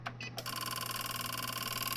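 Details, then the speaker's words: APC Back-UPS XS/RS (BX1500/BX1000) plugged into mains: fast buzzing chatter as the relay clicks back and forth over a steady hum, a symptom of failed voltage-sense capacitors, worse on one unit even at low sensitivity. "so you hear that that's symptom number two over a long time it'll kind the relay will just keep clicking back and forth"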